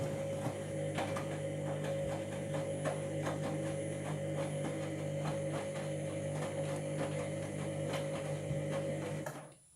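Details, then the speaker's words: Washing machine on a 60°C, 1200 rpm programme: steady motor hum with a rough repeating scrape about four times a second during the spin, suspected drum or motor grinding. "light closer I need to you see that there yeah you'll hear like a noticeable grinding noise in a minute"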